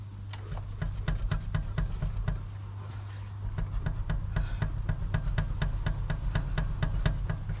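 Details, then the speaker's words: BMW E61 525d at 93,000 miles, jacked up with the rear wheel rocked by hand: sharp clunks about twice a second, with the wheel solid top to bottom. Play in a worn rear control arm bush, so the arm is to be replaced. "but this whole wheel is physically doing this from the bottom so from top to bottom six o'clock and 12 o'clock it's completely um solid so that would indicate a rose bush joint"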